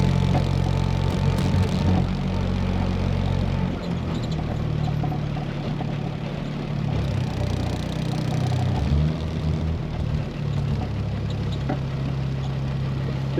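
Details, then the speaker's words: 1972 Triumph GT6 with a TR6 inline-six on carburetors, on a chilly morning; the rear carb was refitted with a different float. Slightly loping, uneven hunting idle: running lean on the back carb, with the float suspected to need adjusting, and it runs better with a little choke. "You can hear it's going lean on that back carb. I'm guessing it just needs the float adjusted more."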